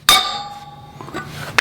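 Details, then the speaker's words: 2016 Honda CB500F front wheel, new OEM wheel bearing driven in by socket on the outer race: one sharp hammer blow followed by a clear, lingering metallic ring; the bearing has bottomed out and is fully seated. "dropping it down is evenly it's possible until it seats all the way to the bottom which sometimes you can tell by the sound of it ya hear that ring that ring sound"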